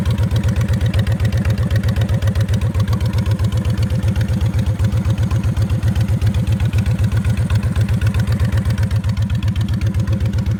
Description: Odd ticking noise that comes and goes on my 2006 Honda VTX 1300C